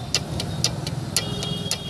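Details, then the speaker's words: Mahindra XUV500 with a faulty clutch and reduced pickup, engine dual-mass flywheel rocked by hand: loose metallic clacks about twice a second; far more play than normal, flywheel faulty; dual mass flywheel excessive play. "तो जैसा कि आप आवाज़ सुन रहे हैं, इस तरह की प्ले होती है, लेकिन इसमें बहुत ज़्यादा प्ले है।"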